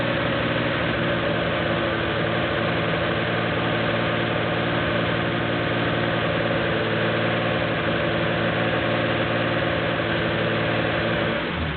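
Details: Porsche 911 2.7 L flat-six, early S cams, twin plug, 46 mm PMO throttle bodies, Tec3 management, warming up with throttle linkage refitted while both banks are checked for balance: even, steady idle with a smooth low rumble, no hunting or stumbling over twelve seconds; normal idle.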